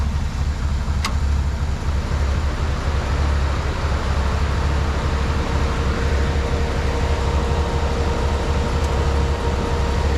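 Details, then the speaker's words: 1972 Jeep CJ5, warmed up, after water pump replacement and radiator cleaning: steady, even low rumble with no knocks or ticks; engine sounds normal but still overheats, and owner suspects the radiator or rust in block cooling passages. "sounds good running warmed up"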